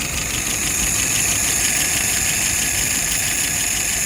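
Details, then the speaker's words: Restored WO 539S after testing and adjustment: no leaks, float set correctly. Steady, even idle at about 660 RPM, slightly high, with smooth beat and intake hiss and no misses. Fuel pressure 2.5+, vacuum 22+; running cleanly. "Currently idling at about 660 RPM, a little bit higher. Fuel pressure is 2.5 plus."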